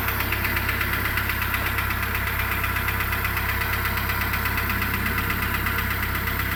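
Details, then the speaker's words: 2008 Renault Logan 1 at idle after a cold start: a light rustling tick at about eighty a minute appears about 1:25 after starting, grows, later fades, audible in the cabin; engine ticking noise, source unknown. "То ли стук, то ли шелест, не поймёшь."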